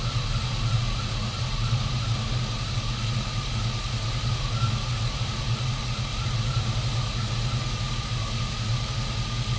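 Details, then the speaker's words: Lowered GMC Sierra after 4.3 to 5.3 V8 swap, brand-new alternator charging about 14.3 V: steady high whine just above 1 kHz over smooth idle; owner suspects bad alternator bearing, plans to refit stock unit. "i feel like the alternator is making it sounds like it's a little whiny to me and generally that means the bearing is no good but it is brand new"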